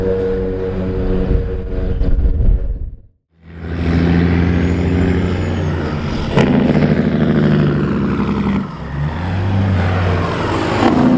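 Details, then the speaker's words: Kenworth W900 truck with Cat 3406E diesel after new turbo install and oil pan work, driven around the shop; deep steady drone pulls evenly, briefly lifts, pulls again without misses or whistle; healthy under load. "you're just actually circling the shop here now it sounds like it's running nice and strong"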